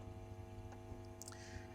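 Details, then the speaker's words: Valve guitar amp with noisy, scratchy pots, during service: turning the reverb control up brings a constant low mains hum with a buzzy edge, borderline buzz. "But, as yet, as we turn that reverb control up, we get quite a nasty hum."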